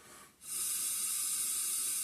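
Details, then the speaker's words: 5hp Briggs and Stratton gear-reduction engine, fuel pickup tube with its screen still on, after blockage was cleaned out: a steady, even hiss of air blown freely through with no sputter or choking; the pickup tube is clear. "don't know if you can hear that, but I can easily blow air through. The screen is still on there."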